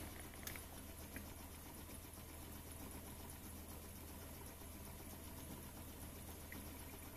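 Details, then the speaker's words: Modified Warpfive Stirling engine, propane-fired and water-cooled, driving a generator powering a radio: very faint, even low hum with light ticking, no knocks or roughness; very quiet, healthy steady running. "engine is run for hundreds of hours powering various electrical items it's very very quiet and uses a very small amount of propane"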